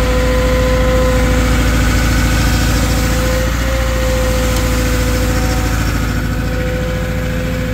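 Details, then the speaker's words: Cat 313 GC excavator at idle; steady diesel with a constant high-pitched violin-like whine from the hydraulic system; whining noise. "this is that cat 313 GC that made that noise sounds like it's playing the violin in"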